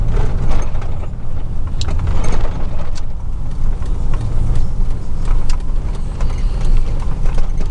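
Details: 2000 Chevy truck, 4.8 V8, four coils deliberately unplugged, driving; deep lumpy uneven rumble with no smooth beat; misfire, running on four cylinders.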